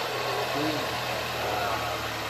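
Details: 2017 Mercedes-Benz E300 turbo engine, first startup after engine flush and refill with about 7 quarts AMSOIL 5W-40 synthetic: even, steady idle hum with no knocks, ticks or misses; normal idle.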